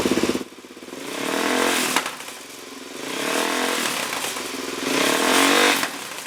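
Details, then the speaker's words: 2004 Suzuki DRZ400S single with open exhaust, pilot jet raised from 27.5 to 32.5 and fuel screw at 1.5 turns out, loud sharp pops and crackles on revving and off throttle; backfiring persists, cause not found. "It's still backfiring. I mean, it's okay if there's a little bit with this open exhaust, but it's still popping pretty loud."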